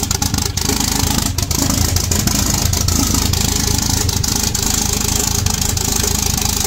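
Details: 1.8T 20V Audi A4 B7 on its first start after a big turbo, external wastegate, boost pipes and new coils were fitted: busy, slightly uneven idle with some valvetrain clatter on top; runs, nothing alarming; normal idle.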